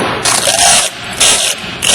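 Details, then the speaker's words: Loveshaw CAC50 tape cartridge with the tape tension adjustment tightened way down: tape drags through with loud, rasping, stuttering bursts. It is too tight and should be backed off until there is slight resistance without freewheeling. "now you can hear the tape just Dr the tape which is not correct so we want to back this off just so that it doesn't Freewheel"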